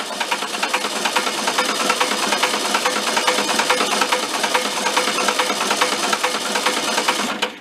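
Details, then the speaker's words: Barn-found circa-1973 VW Karmann Ghia, unrun about 31 years, cranking: sharp regular metallic clacking about twice a second; oil pressure builds well, suggesting no bad rod; top-end noise, cause not confirmed. "so it is building oil pressure by clacking you let it spin for a little bit"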